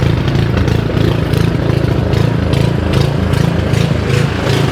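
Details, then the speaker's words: Simplicity SS922E single-stage snowblower just serviced, running outdoors about 50° colder than the 60° garage where it ran fine: fast even beat that swells and eases slightly; owner suspects the carburetor needs more cleaning. "now you can hear that this is surging a little bit but when I got done with the service in the garage where it was about 60° it ran fine but right now it's about 50° colder so uh I guess I got to clean that carburetor a little bit more"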